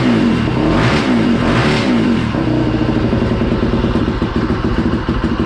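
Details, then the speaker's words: Polaris Predator 500 rebuilt basket case with aftermarket DG exhaust: single cylinder blips a few times, then settles into loud open choppy idle, no knock heard; normal running. "for now i'm going to go ahead and open the garage door we'll get it fired up so you guys can hear what it sounds like with the dg exhaust so"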